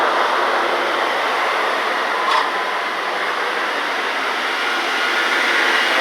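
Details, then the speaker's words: 2002 Dodge Ram 1500 4.7 Magnum V8, 137,687 miles, after crank-no-start fix (PCM, idle air control, plugs, coil packs): even, steady raised cold-start idle, no misses or shaking; runs smoothly. "the idol down here in a minute about runs real smooth no shakin"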